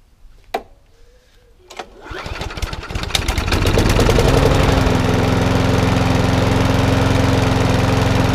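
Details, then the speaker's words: Briggs & Stratton 3.5 lawnmower from a job lot, first start after checks: a couple of pulls, catches in about two seconds, then a smooth, even single-cylinder beat with no misses and only a little smoke. "It's not even smoking at all actually. I thought it'd be smoking more than that."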